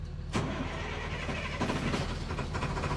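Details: Truck just bought at Copart in Amarillo, Texas, fitted with new batteries, push-button start, clutch must be depressed: short crank, then the engine catches quickly and settles into a steady low idle with no stumbling; a clean, healthy start.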